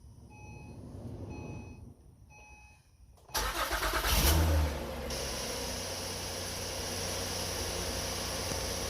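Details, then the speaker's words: 2009-2014 Acura TL: chimes, cranks and fires with a brief harsh screech as it catches, starter staying engaged a split second after running; sticking Bendix, to be lubricated. "I don't know if you heard that little screech on the very end when it's already running, but basically that I'm gonna try to see if I can take it off and put a little lubricant on the Bendix."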